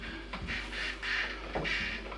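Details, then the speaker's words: Epiphone EJ200SCE acoustic-electric guitar plugged in through one of its two outputs: steady low mains-style hum under bursts of hissy crackle; the onboard electronic control is suspected, not confirmed. "anyway really noisy signal not nice at all i mean you're hearing the guitar so we're plugged into one of the outputs at the moment"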